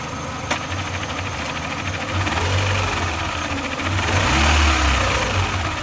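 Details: 2004 Renault Clio 2 RS at idle, noise only with clutch pedal released: steady idle with a fast irregular rattle about three to four per second over the engine hum; clutch or gearbox noise, source unconfirmed.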